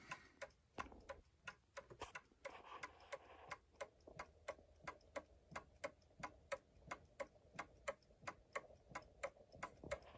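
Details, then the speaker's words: New Haven Clock Company Horace pendulum clock, movement running after about 42 years since last oiling; steady ticking at about 88 beats per minute with unevenly spaced tick and tock, out of beat after one side was lifted. Fix is bending the pendulum hanger. "very clean it's a little out of beat though it shouldn't be it should be even like that"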